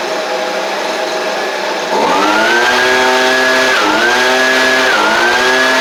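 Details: Husqvarna 125B two-stroke leaf blower after carburetor kit swap, started on choke: silence, then catches and settles into a high steady buzz with a couple of brief dips; running fine, maybe needing slight adjustment.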